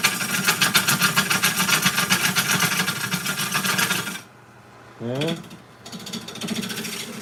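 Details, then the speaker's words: Lathe turning a walnut bowl near where the wall curves in: sharp rapid ticking, about four per second, in time with each rotation while cutting, then stopping; the tool is catching a crack in the wood. "sounds like I found another crack in there. Let's see. Did I find another crack? No, just, well, yeah, sort of right there. That's probably what I was hitting. You can almost hear it as you're turning. You can hear where they are."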